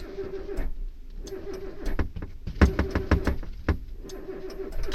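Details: Suzuki Wagon R+ no-start: several short bursts of starter whirring with clunks and pauses between tries, engine never catches; cranks but won't start.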